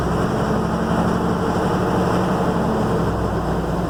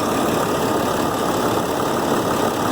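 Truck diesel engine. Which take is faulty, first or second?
first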